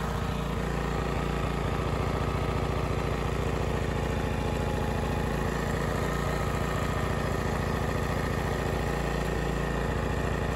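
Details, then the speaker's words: Honda EX1000 portable suitcase generator running outside without load, choke off, missing correct air filter, before an 800 W oil heater is connected; smooth, even low drumming with no misses or surging. "so you can hear it gently drumming away outside"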